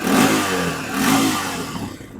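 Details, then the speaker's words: 2002 Honda TRX300EX single-cylinder quad at idle; two quick clean throttle blips rise and fall sharply with no stumble or bog, then settle back; throttle response crisp. "Throttle's crisp."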